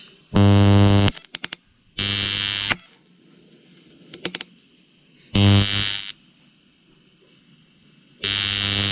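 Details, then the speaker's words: TIG welding during a 5-ton crew cab truck build: harsh buzzing bursts under a second long each time the pedal is pressed, quiet between, with small lightning-strike arcing; settings not right and ground not connected properly, giving an unsteady arc. "So, I keep having that little bit of lightning strike and that little bit of buzz that you keep hearing is not having the ground right like it needs to be."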